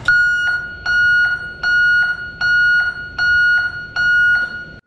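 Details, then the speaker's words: Comparison sound test of backup alarms, here the Pollak on its highest setting (rated about 112 dB) reading about 97 dB on the meter: loud piercing high beeps about one per second, noticeably louder than the others; working properly. "again about 97 but this one definitely is a lot louder so i think usually when the housing's a little bit bigger it kind of projects that sound a little bit more it makes it a little bit louder"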